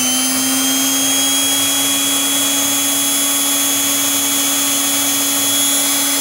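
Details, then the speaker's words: Brushed electric planer motor run from a prototype DC-to-AC 60Hz inverter (12V DC to 127V AC target): steady, even high-pitched whine at constant, very high speed, no surging or rubbing; running normally. "está girando aqui mas o giro aqui é muito alto"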